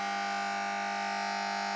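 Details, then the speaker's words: FPE Black-light 1x18-20W T8 fluorescent fitting, several years old, poor quality and battered, tested one last time before teardown: loud, steady electrical hum with a sharp buzzing edge from a noisy magnetic ballast. Lamp holders often fail and need a knock. "Elle fait un bruit monumental. Bah tiens, avant de la démonter, je vais vous la tester une dernière fois."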